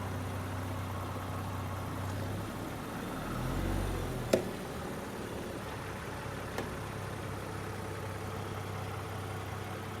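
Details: 2022 Land Rover Defender with Bora 1.25-inch wheel spacers: sharp, isolated pops from the wheel area over low engine hum when moving forward and reversing; everything torqued to spec and retorqued at 10 and 100 miles; cause unknown.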